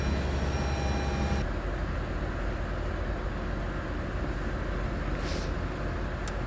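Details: Lexus IS250 V6 at idle: lumpy, uneven idle with an irregular low stumble, a single-cylinder misfire from a burnt valve.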